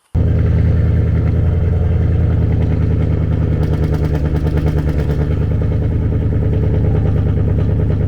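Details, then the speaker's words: Chevrolet Camaro 2SS V8 idle: lumpy, uneven beat with irregular chuffing and sputtering; owner blames StabiliTrak being on for the choppy misfire-like sound, cause unconfirmed; rough idle with sputtering. "Now, this is going to sound choppy. Like my Camaro sounds good, but it don't, because the stable track is on. So when you can hear it misfiring and sputtering, like you can hear it, and that gets on my nerves so bad."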